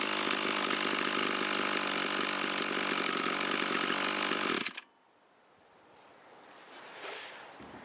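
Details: Echo SRM225 trimmer that sat long with fuel in it, with low compression and a no-start, test-run with choke after the carburetor mixture screw was set fully open: high, steady two-stroke buzz holding evenly, then cutting off.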